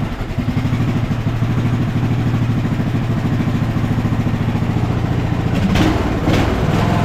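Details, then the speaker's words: 2014 Ariens 42-inch riding mower, single-cylinder engine running after the flywheel timing was corrected; it had been way off, causing backfiring and fuel loading. A steady, even thump at a brisk idle with no clatter; runs smoothly, though it still needs carb work. "smooth awesome awesome awesome obviously it's going to need you know some carb work and stuff like that"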